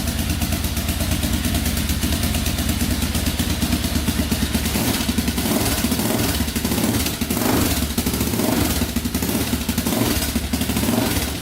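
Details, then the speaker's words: 2004 Yamaha Raptor 660 quad started after carburetor refit, cleaned tank, fresh fuel, new gas line, straightened exhaust and an added quart of oil: steady even putter holding idle speed without stumbling, not smoking, idling perfectly. "So let's try to start this thing up. Here we go. Not smoking. Idling perfectly."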